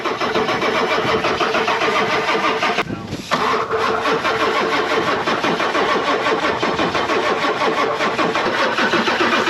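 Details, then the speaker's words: 1996 Ford F-250 7.3 Powerstroke with a veggie-oil conversion, sitting 10 years, primed with ether, glow plugs on: long steady cranking with a brief pause that never fires; no fuel delivery, and the owner suspects the injectors or crank position sensor. "because we were cranky we weren't getting any fuel so we got to see if the injectors are firing or if there's a crank position sensor bad or something right"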